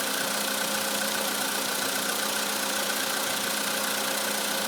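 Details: 2013 VW Polo Sedan, idle; fast, fairly even light ticking about three to four per second over a thin hiss, worse when cold per owner; owner thinks it is likely engine knock, not confirmed.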